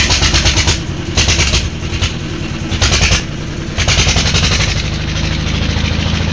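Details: Old Deggi diesel engine after a plug change. It refused to start easily and after several attempts caught with great difficulty. Heavy, uneven chugging bursts stumble and surge, then settle into a steadier beat. Hard starting, cause unconfirmed.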